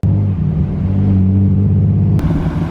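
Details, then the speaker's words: 25-year-old barn find BMW E36 325i with replacement exhaust, during burnout attempt: deep lumpy uneven rumble; engine misfire, owner suspects spark plugs, plug inspection appears to confirm. "definitely not meant to sound like that it sounds like a subaru i'm pretty confident it's the spark plugs"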